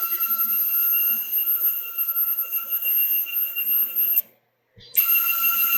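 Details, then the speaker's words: CNC Y slave-axis stepper motors taken off the chassis and run on their own: steady high-pitched stepping tones with a pulsing texture, clean, with no rubbing. They sound perfect compared with when mounted, ruling out the electronics. Normal stepper motor running. "now you guys got to hear exactly what those motors sound like that sounded perfect in comparison to when they were mounted on the chassis"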